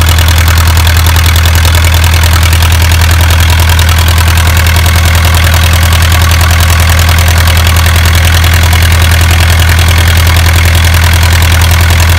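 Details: Isuzu 4BA1 85 hp diesel coupled directly to a 5-inch single-impeller pump irrigating a 20-rai durian orchard, pushing water about 800 m uphill; steady, even, deep firm beat at constant speed, no knocks or misses; normal healthy running under load.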